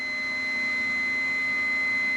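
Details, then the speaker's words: Multimeter continuity test with leads shorted, reading about one ohm: clean, steady high-pitched beep without wavering; repaired meter, continuity function working normally. "it's reading one home no problems at all"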